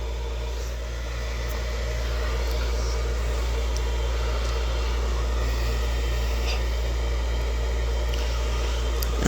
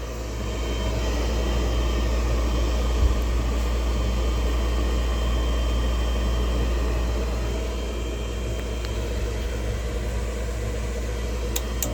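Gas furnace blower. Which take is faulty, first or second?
first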